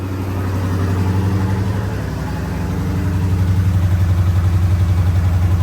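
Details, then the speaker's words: Dodge 6.4L/6.2L V8 after oil pan and gasket replacement, first start: fast regular ticking, about four per second, over a loud idle; sounds like an exhaust leak. "yeah yeah so huh it's always sound yeah it sounds like an exhaust leak that's what it is"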